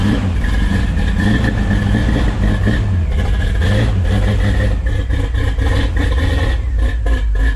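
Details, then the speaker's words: 1972 Chevrolet C10 shop truck V8, previously run fine in another truck, running and revving after fix; steady rumble, no knocking left. Bottom-end knock turned out to be the inspection plate in the bell housing area, cut out; not a rod knock. "glad it turned out to be something minor i just cut that piece of inspection plate out throw it back in man smooth sailing"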